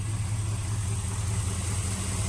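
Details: 2006 Pontiac Grand Prix GXP (LS4) idling before harmonic balancer replacement: smooth, steady low idle with an even beat, no knocks, ticks or misses. The crank balancer is visibly blown apart, but the engine sounds healthy.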